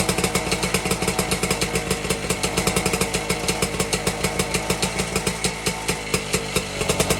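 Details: 1952 BSA D1 Bantam single-cylinder two-stroke on a test rig, first start in over two years, carburetor tickled to start; steady brisk pops, about eight firings a second, running evenly; normal running.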